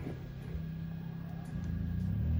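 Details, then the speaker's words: Honda EU2200i inverter generator, 106 engine hours, run on recreational gas, powering a 15,000 BTU Coleman Mach 15 RV AC with no soft start: the drone steps up in pitch as the compressor kicks in on cool low. Readout about 1600, AC cooling fine. "you can hear it kick on whoa showing it about 1600 all right let's let's let it run let's see if this air is cool pretty cool so kicked on on low cool just fine"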